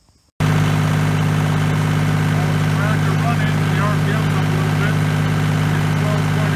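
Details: 1989 Kubota L2550 diesel tractor that only clicked on starting, after replacing a failed fusible link wire: it settles straight into a steady, even low clatter with no misses; normal idle with alternator charging higher.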